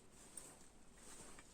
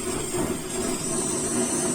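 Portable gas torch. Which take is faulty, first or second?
second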